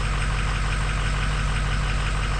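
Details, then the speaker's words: Ford 6.0 Powerstroke diesel just after a new injector install, intake not yet fitted, first start: even, low idle with steady light clatter, no misses or stumbles; running smoothly. "running smooth see if it works"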